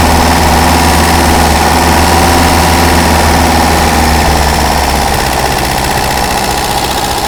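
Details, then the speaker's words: Daihatsu F20 4x4, just started cold on a little choke: smooth, even idle at about 230 beats a minute, easing down slightly as it warms. Ignition timing is noted as a little out. "that's got her a little bit of Choke till she warms up"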